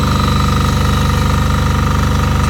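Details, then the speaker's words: MEP831A 3 kW military diesel generator at startup, light load, quarter tank of fuel: steady, even diesel chug with a firm low beat, no knocks or misses; starts right up and runs nicely. "We'll fire it up. The exhaust comes out of right there. Starts right up, runs nice."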